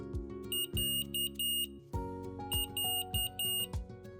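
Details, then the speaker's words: Omnipod insulin pump reminder tone: two bursts of four high electronic beeps over background music; on hearing a reminder, turn on the PDM and read the on-screen message. "Lorsque vous entendez un rappel, allumez votre PDM et lisez le message qui s'affiche sur l'écran."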